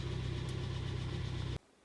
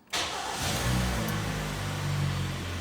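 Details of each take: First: 2011 Hyundai ix35 G4KD engine with very strong knock hot and cold: hard, regular knock rattling over idle, piston knock from scuffed cylinder walls. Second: 2011 Hyundai ix35, G4KD engine, 12,000 on the odometer, repaired for scored cylinders that caused heavy knocking hot and cold: first start in neutral after the rebuild, oil pressure comes up and it settles into a steady, even idle with no knock.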